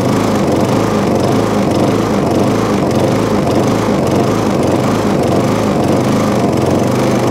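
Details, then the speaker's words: MTD push mower. It runs at a fast, slightly uneven, strained beat, choked for air; the air filter is about to be removed. "let me just take that air filter off very quickly see if it makes any difference it's strange because it's been starved starved with air beforehand"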